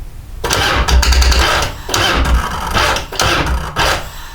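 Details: Twin Cam Harley-Davidson Dyna Glide (FXD) that won't idle and leaks fuel from the CV carb, choke on, weak battery before charging. Short cranking bursts catch briefly and die, with pauses between tries. Weak cranking is suspected, not confirmed.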